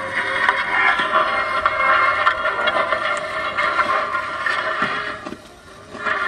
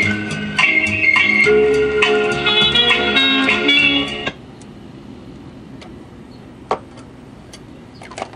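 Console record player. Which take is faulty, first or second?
first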